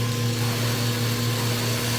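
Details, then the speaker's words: Acrylic centrifugal pump trainer driven by electric motor, suction valve closing as vacuum reaches about minus 14 inHg: steady motor hum with a faint gravelly hiss as cavitation and flashing begin. "gauge will go down minus 10 inches of mercury minus 12. that's 14 you can start to hear flashing occur there"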